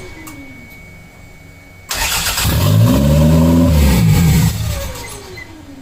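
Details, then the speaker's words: Toyota MR2 engine, owner suspects IAC sensor or vacuum leak; catches fast, flares high, then sags unevenly toward idle, fitting an open vacuum line leaking air, before a line was capped. "all right guys so the issue that I think I'm having is either an iak um sensor or something something something with the vacuum is is giving me issues"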